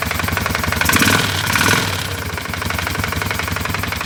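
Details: CF Moto 500 ATV brought in for engine knock, running at idle: sharp regular metallic knock about four per second over single-cylinder idle; internal engine knock.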